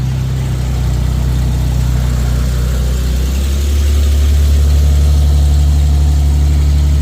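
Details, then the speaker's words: Infiniti QX70 / FX37 running after a remote start from the newly installed 12 Volt Solutions unit; smooth, deep idle hum that steps up slightly after a few seconds and holds steady, healthy. "As you can hear, the car is on."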